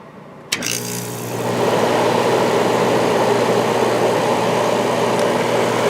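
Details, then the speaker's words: 1994 White Westinghouse 5,200 BTU air conditioner with Goldstar compressor and shaded-pole fan; after a click the compressor starts into a smooth low hum with mains buzz, 4.5 A, 426 W, very quiet; normal compressor running. "4.5 amps right now and 426 Watts compressor is very quiet right now"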